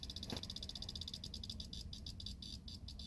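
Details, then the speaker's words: 1996 Buick Roadmaster sitting in a yard, battery long unreplaced and getting low: sharp light ticks about ten a second slowing to a few a second; random electrical clicking, blamed on low battery, not confirmed. "Yeah, there's this really, really bad clicking noise that when the battery starts getting low, it just starts randomly clicking, which I haven't put a new battery in this thing in a really long time, seeing that it just sits in my yard."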